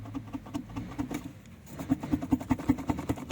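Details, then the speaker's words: Renault Megane 3 dCi diesel at idle: a steady rattling knock heard behind the firewall near the instrument panel. "на холостих гуркіт в районі такий характерний як безстук в районі приборної панелі"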